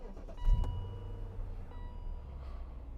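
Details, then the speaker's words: BMW Z8 with 37,000 miles, push-button start: warning chimes, then a quick crank catches into an even, settled idle with no misses or rattles, sounding like an M5; healthy start. "and it sounds well sounds like a bmw m5 oh that's so good"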